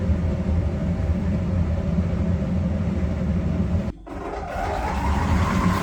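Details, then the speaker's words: Electrolux PerfectCare 800 EW8H458BP tumble dryer, 6 years of heavy use, after drum roller replacement: low, even drum rumble, the earlier loud noise and uneven jumping, knocking drum gone; runs smoothly and quietly, like new. "suszarka wstawiona chodzi pięknie cichutko równiutko"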